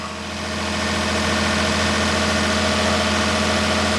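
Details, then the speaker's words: Daihatsu S210P mini truck engine after new OEM camshaft and phaser, sat two years: even, steady idle with a constant low hum, no ticking, knocking or stumbling; idling cleanly, longest run in two years. "I told you we had it whipped. This is the longest this truck's ran in two years."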